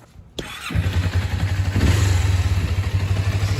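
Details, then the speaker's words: 2001 Kawasaki Ninja 250 warm, after carburetor idle adjustment; engine blips up and settles quickly and evenly back to a steady low idle as throttle butterflies close, no hanging revs; normal idle return. "so when you release the throttle you want the idle to come down just like this."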